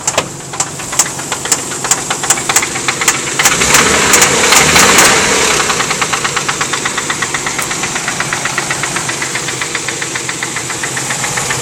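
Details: 1990 Nissan 300ZX Z32 non-turbo, blown engine with cylinder 4 rod knock: a loud, sharp metallic knock hammers over the idle, speeding up as revs rise.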